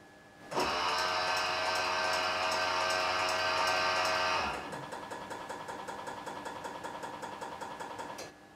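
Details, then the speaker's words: BMW E46 330i/325i brake bleed run through INPA with a K+DCAN cable: a steady ABS pump whir for about four seconds, then rapid even valve clicks about three a second as the valves open and close, normal cycling. "so here's what it sounds like if you activate one of these options you're going to hear the pump and then you're going to hear the valve open close several times"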